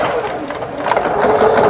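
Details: Kenmore 110V household sewing machine, made in Taiwan, after repair including replaced 110V pin-type bulb: steady even mechanical whir with light rapid needle chatter, no knocking or binding; forward/reverse stitching working normally.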